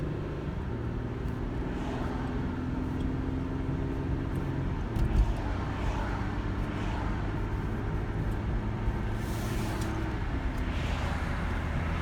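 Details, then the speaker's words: 2008 Ford Fusion SE 3.0L FWD after P0351 coil-circuit misfire fixed with a repaired, returned PCM, no programming needed; smooth, even idle with low steady hum and no stumbles or misses, normal idle. "this is what it sounds like when it's done turn key operation no need to program"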